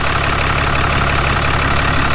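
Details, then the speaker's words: 2016 Ram 3500 6.7 diesel just after jump start; steady even ticking knock over low idle, owner suspects failing injectors. "motor that's on Startup that's another good indicator that the injectors are going out on it you can hear the ticking noise"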